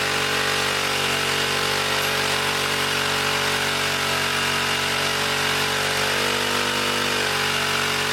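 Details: 1959 military single-cylinder engine fed from fuel line in a gas can, carburetor high-speed circuit sprayed out and slightly flooded: screams at a high, steady, buzzy speed without settling, overspeeding as the governor runs wild.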